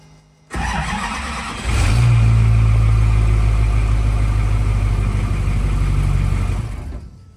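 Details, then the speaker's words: Duramax diesel drag truck with new lithium battery upgrade: starter spins briefly at about 100–130 rpm cranking speed, then diesel catches and runs evenly; normal crank and start. "So, it looked like about 100 to 130 RPM."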